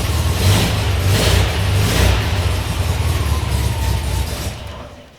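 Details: VW Kombi engine during restoration, first run after dash install and rewiring: deep low throb with uneven, lumpy beat and wavering pulses before dying away; running rough.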